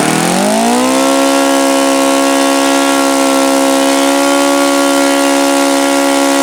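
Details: OS FS-alpha 110 model four-stroke glow engine, freshly reassembled after crankshaft bearing and connecting rod replacement, quickly winds up to a steady high buzzy note at full throttle; it falls well short of the review article's rpm figures.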